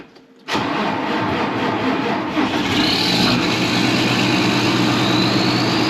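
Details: Farm tractor diesel (7530) started on a frosty morning: starter turns briefly, fires at once and settles into a steady, even diesel clatter; normal cold start.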